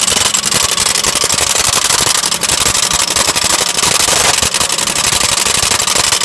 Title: lexus rattling noise help